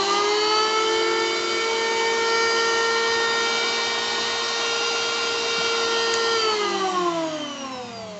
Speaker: Ini suaranya cukup mantap ya, cukup enak didengar ya, mulus gitu, nggak ada suara kasarnya.